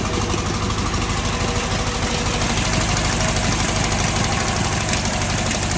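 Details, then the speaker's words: Fiat 126p two-cylinder engine with milky oil; lumpy idle with irregular coughs about three a second, nearly stalls when throttle added, exhaust smoking; owner suspects blown head gasket, loose exhaust or ignition; rough running. "nie pod dziwnie kaszle gazu dodam jak gazu dodaje to chc Gasnąć tu się od wydechu dymi"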